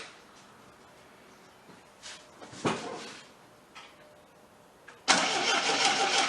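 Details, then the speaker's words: 1979 Triumph TR7 with rebuilt carburetors from a parts car, fuel tank gravity-drained then refilled: steady cranking that never fires or catches; fuel pump not picking up fuel from the tank, no fuel reaching the carburetors. "oh no fuel as of yet what I'm gonna do I'm gonna shoot something it the carburetors see if I can get to pick up"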